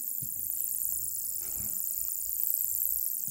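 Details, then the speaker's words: Dead Commodore 1084S monitor, sold as not working, case off, LED flashing: faint very high-pitched whine pulsing with a steady fast tick; suspected struggling flyback transformer, though other nearby transformers not ruled out. "it could be a Transformer or it sounds like a Transformer struggling but there's a few Transformer in the air and this vicinity is here so uh it it it most likely is the flyback"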